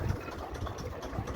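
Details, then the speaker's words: 1953 Kelvin J3 33hp three-cylinder diesel narrowboat engine with revs brought right down before shifting to reverse: slow, even, low thump at very low revs, steady and healthy; normal low idle. "can see she's running really low."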